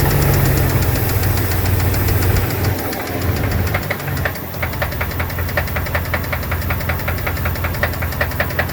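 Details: 2002 Dodge Dakota 4.7 litre at idle: sharp, fairly regular ticking over a rough idle, clearly audible throughout; owner suspects lifters or piston slap, unconfirmed.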